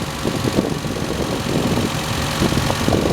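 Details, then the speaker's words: Toyota Paseo after cam seal, oil pan and vacuum line work: fast, slightly uneven idle around 1500 rpm with fan noise; too high, owner expects a valve fix and enough vacuum on the actuator to bring it to about 1000. "like I said the idles at about 15 which is a lot lower than it was once I get that valve fixed and get enough vacuum pressure on it to pull the actuator up it should idle itself down to write out a grand which is OK for me"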